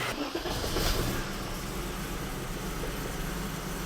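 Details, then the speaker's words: BMW E34 with Metric Mechanic 3.7L stroker M30 on a newly installed untuned standalone ECU, new plug wires, 2017 cap and rotor: untuned cold start catches and settles into a steady, even idle, all cylinders firing; O2 not yet heated, running very rich. "We'll fire it up and you guys can just hear how good it actually runs now that it's got spark. Look at that. For an untuned cold start, it's pretty good."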